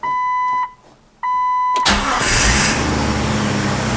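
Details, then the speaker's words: Jeep TJ started with the clutch fork removed, after being stuck in gear: two dash chimes, a quick crank, then a smooth, even idle with no banging. The engine sounds healthy and is still salvageable; normal start and idle. "that is it bingo that sounds like a good working jeep there we go now it sounds fine"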